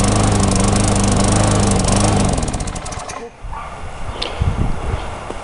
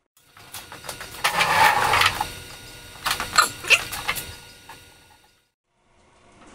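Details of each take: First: Tecumseh mulching mower surging: runs steady, then sags and nearly dies before picking back up; sounds fuel-starved, bowl nut passages clear, white deposits on spark plug suggest long-term lean carburetor running. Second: Tecumseh mulching mower, formerly surging, after carburetor repair (part 632547 fitted at the emulsion tube base, a plug found in the idle circuit): a few pull-cord tugs, then the engine catches and holds a steady, even drone without hunting. It runs great.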